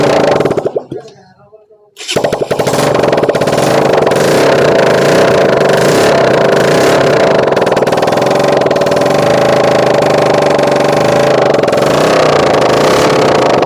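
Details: Bajaj Pulsar NS 200 after full engine rebuild and fitting, petrol fed from a separate supply, electric start: a short crank, then it catches and settles into a steady, even run with no knocking, rattling or misses.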